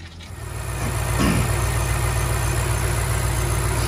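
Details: 2006 BMW X5 4.4 N62 V8 that cranked but wouldn't start after running nearly dry, fuel pump replaced: catches and settles into a smooth, even low idle with no misfire; fuel pressure now present, about 48 psi engine-off.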